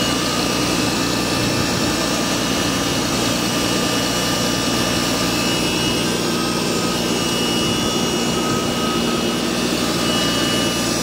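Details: Car whose timing belt, water pump and serpentine belt were replaced in Jan 2023 makes a thin, steady high-pitched whine over the engine noise on startup. Owner suspects a bearing but is only guessing; source not confirmed.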